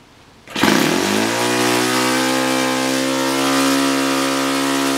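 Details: Laser 61 model engine after removing metal debris, likely from a burnt-out glow plug, that jammed the inlet valve open and killed compression: catches and settles into a clean, even high-pitched buzz with steady speed and no misses; normal running after repair.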